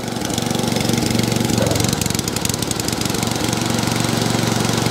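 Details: Small single-cylinder cylinder-mower engine after a quick fix to a leaking carburetor runs at a steady fast beat with only a faint hunt; this carb type is known for that, so it is normal running.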